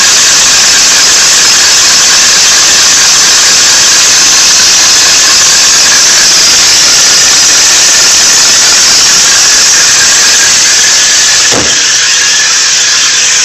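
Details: 1992 Nissan 300ZX engine bay: loud steady high-pitched squeal that stays the same regardless of engine revs, louder at the front right; cause unknown.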